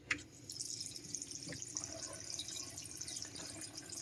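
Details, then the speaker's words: Aquasure AS-PR75A under-sink on-demand water filter with new replacement head, valve opened: constant trickle and splash into the drain that never stops, system never fills; continuously draining to waste. "you can probably hear here as to where it drains the into the drain hopefully you can hear that running water either in the sink or under the sink"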